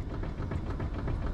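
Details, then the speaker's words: BMW E90/E92 steering rack after slightly backing off its adjuster, wheel wiggled, heard from underneath: low soft thumps with a bit of residual noise that no longer changes when pushed up; it was out of adjustment, not worn. "it still makes a bit of noise but now when i push up the noise doesn't change right stop"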